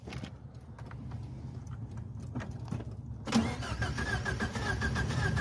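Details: Ford Probe turbo, running about 11.2–11.4 AFR at 90% injector duty, after a 60–130 run: engine cranks into ragged uneven running with heavy chuffing blow-by; blown head gasket, wastegate line clamp left off.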